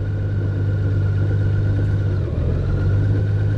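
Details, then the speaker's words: 2018+ Honda Goldwing DCT at 20K miles, right after an engine oil and DCT filter change, held still at idle: clunking and a constant thin whir while the clutch initialization procedure runs; normal. "you hear that the clunking and the like a whirring sound as long as this is flashing it's doing the procedure to initialize the clutches for the dct"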